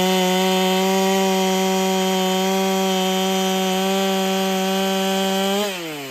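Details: Ported Holtzfforma 395 chainsaw after build changes, testing in the cut: screams steadily near 12,000 rpm with a breathy hiss of air from the muffler; quiet saw, owner feels the muffler isn't quite enough, cut speed and rpm about the same.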